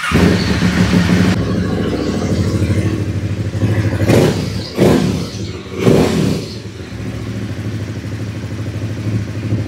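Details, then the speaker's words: Aprilia Caponord 1200 Rally twin, reassembled with K&N filter and original intake sleeve, airbox not cut: steady idle with two throttle blips, no harsh airbox roar; intake noise now normal. "là on sent que le bruit vient de derrière VI plus d'ici là parce qu'en fait là le problème c'est que le bruit venait d'ici ah ouais ouais c'est mieux"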